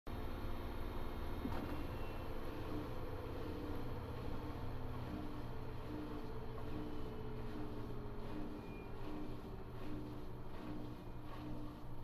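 A low, even hum with slowly falling tones as the drum winds down, and no knocking; a healthy spin coast-down.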